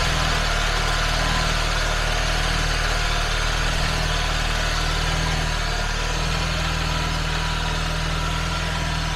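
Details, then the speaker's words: Engine idling just after cranking test, load applied to charging system during battery tester charging test: steady even idle, smooth low rhythm, no misses or knocks; normal. "Well, the engine is already running. It's putting a load on the charging system."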